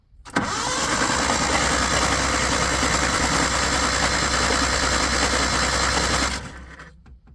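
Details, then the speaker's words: 1980 Chevy Luv truck, abandoned in a junkyard since 1998: starter churns the engine steadily for about six seconds with no firing; cranks but won't start, battery has charge, clutch had to be pushed. "try it again nothing it's got juice I just had to push the clutch"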